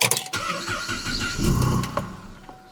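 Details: 2009 Cadillac CTS 3.6 V6 RWD crank-no-start, second attempt after electrical patching; the first start was aborted by theft deterrent. Starter cranks with a brief catch that quickly dies. Camshaft/crankshaft relearn needed; cause unconfirmed.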